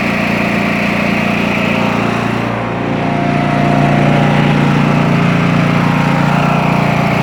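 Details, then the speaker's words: Craftsman T2200 mower, Briggs 540cc engine after camshaft replacement, started on choke; steady even single-cylinder beat at fast idle with one brief dip then smooth; normal running. "all right engines fixed hard parts over i'm gonna put all the covers back on everything i'm gonna let it run let it warm up make sure it's good"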